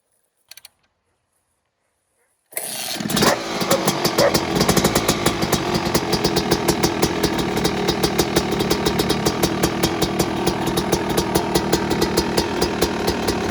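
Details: Yamaha YZ250 two-stroke, first start after engine lockup, teardown and reassembly with factory crank and bearings kept and fresh fuel: quiet, then it catches and settles into a crisp, even idle, about three pops a second, with no knock or rattle; normal.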